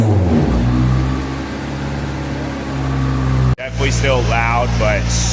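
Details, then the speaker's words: 1993 Honda Del Sol with a cheap aftermarket muffler welded on, revved about 1,000–3,000 rpm: a deep, steady exhaust note rises and falls cleanly with no rasp. Loud but smooth, much less raspy than before, and healthy. "much less raspy. So much more cleaned up. 1 to 3,000 RPMs."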